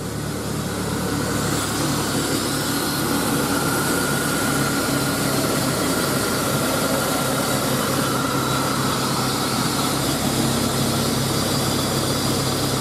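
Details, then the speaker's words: 2000 GMC Sonoma 2.2L I4 idling after new serpentine belt and tensioner install: even, steady idle with no squeal or chirp from the belt drive; normal idle, squeaky belt fixed. "but yeah ain't no more squeaky belt so yeah"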